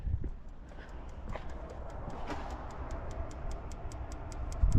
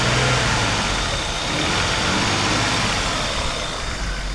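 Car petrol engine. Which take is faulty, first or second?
first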